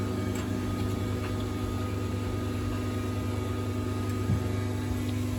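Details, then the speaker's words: Tumble dryer running alongside a limescale-laden WFP3300 washer: steady low droning hum with faint irregular ticking underneath; the dryer doesn't sound healthy, cause unclear. "is coming out of the tumble dryer it doesn't sound particularly healthy"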